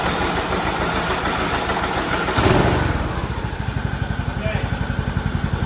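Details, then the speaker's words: Craftsman T2600 mower with a 19 hp single-cylinder Briggs & Stratton Intek whose compression release is faulty, run once it was forced past the compression stroke: catches after rough turnover, steady even putter about four beats a second; runs fine. "run was able to get past it so it it sounds perfectly fine let's try to start it again"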